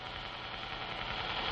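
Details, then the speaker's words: Noise-tested NT3 precision ball bearing on a bearing-noise test machine, uniform thrust load, spindle at 1800 RPM, vibration pickup on the stationary outer ring: smooth even hiss with soft steady hum, no clicks or rumble; quiet, healthy bearing. "Let's listen to one and compare the noise level to that of a standard bearing. This machine is specially built for measuring bearing noise. A uniform thrust load is placed on the bearing, and the spindle rotated at 1800 RPM."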